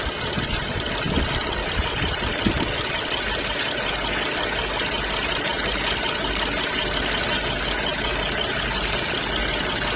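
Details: BMW X5 N55 after valve-cover PCV repair with new membrane and spring, cap sealed with silicone and clamped: steady even idle with some hiss, no stumble or shake; normal idle.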